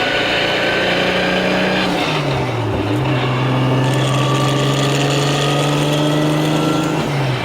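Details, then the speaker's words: MKIV Toyota Supra drifting on skid pad with weak clutch that can't shift fast; engine rising and falling with steady speed-tracking whine on top; loud gearbox gear whine, like a dog box. "It holds like in a straight line, but I can't shift it fast. So. You can hear my tranny sounds like a dog box"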